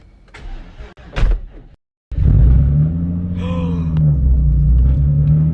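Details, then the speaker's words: Hyundai Genesis Coupe, first start after a temporary repair of a spun bearing: the engine catches and settles into a steady, even idle with no knocking. "That sounds so good. That sounds so good. No knocking. No knocking. No knocking."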